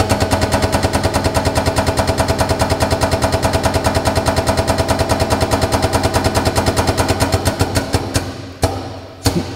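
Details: STS ATEX pneumatic pallet stacker (STP07, 1000kg SWL), air-line powered lift with the lift lever pulled under a pallet; fast, even chatter of pulses holding its rhythm, then slowing and stopping: air-driven lift pump stroking normally.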